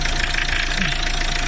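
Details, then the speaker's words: Renault Laguna 3 idling with a dry, irregular crunching knock under the hood, worse with lights on and added electrical load; heard at the AC compressor, not the alternator, suspected loosely mounted compressor. "Привет друзья отчетливо какой-то хруст непонятно откуда такое ощущение что из кондиционера"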